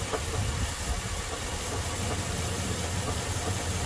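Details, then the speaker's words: 2002 Chevy Silverado 5.3 V8 at idle after a jump start (battery was dead): a dull, uneven knock under the rumble. The owner suspects a broken crank, a broken flywheel or loose torque converter bolts. "so who do you think that might be that kind of sound like a busted crank or something"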